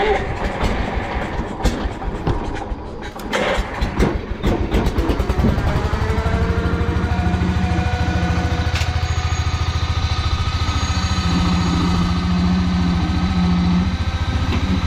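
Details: 1971 John Deere 140 H1 riding mower on points ignition, electric start: some clatter, then the engine catches on choke and settles into a steady, even low idle with no stumbling; normal start and idle.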